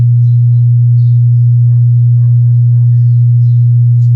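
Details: Wordstar WBL 160 Plus active speaker: a steady deep hum drones with nothing over it. A thermometer probe showed one amplifier IC heating rapidly at power-on while the other stayed cool, pointing to a shorted output IC.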